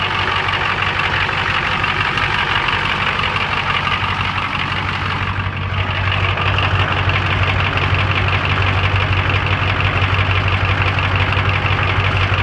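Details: Ford 7.3 IDI diesel at idle: diesel clatter with an uneven, lumpy beat around three pulses a second; rough idle caused by a leaking fuel return line.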